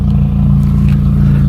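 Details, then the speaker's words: 1996 Honda Prelude Si idling after wire-brushing corrosion inside the distributor: low rough note with uneven stumbles, misfire still present though less bad, brief belt squeal at start; owner expects distributor replacement needed. "Let it idle down. Oh, it's still misfiring. Not quite as bad though."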